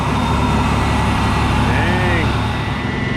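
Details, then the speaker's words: Teal Ford F-150 with 300 straight-six, towed in as a no-start, just restarted after restoring spark from a failed ignition module: lumpy, stumbling, uneven running after long cranking; flooded from cranking without spark. "it was probably flooded very badly from people cranking it me included with uh with no spark"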